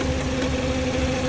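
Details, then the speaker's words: Steady rough drone with a gritty hum, recorded by holding the camera on a screwdriver pressed to the spinning cooling fan of an overheating Cadillac; worn radiator fan motor bearings, and tapping the fan makes it spin faster and quiet down. "the problem is the bearings inside this"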